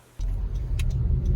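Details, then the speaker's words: 2018 Honda CR-V, about 100k miles, recorded driving: deep constant dry-bearing whooshing hum under road noise, starting around 14 mph and growing louder with speed; traced to the rear driveshaft. "this is the sound this 2018 CRV is making starts at about 14 M hour gets louder with speed"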